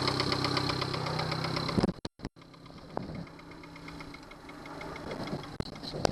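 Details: Yamaha 70 hp outboard, uneven idle with a steady knock about four times a second that fades as it stumbles; fuel starvation because a Honda fuel line connector was used instead of the Yamaha connector.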